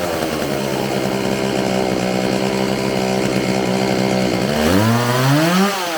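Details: Homelite 4620c two-stroke chainsaw after recoil starter fix, carburetor cleaning and new fuel lines, first start: steady buzzing run, then revs rise and sag unevenly when throttle is worked; hesitation off throttle, carburetor needing adjustment.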